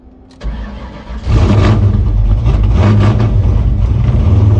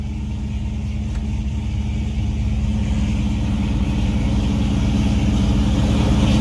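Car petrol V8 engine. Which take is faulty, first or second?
first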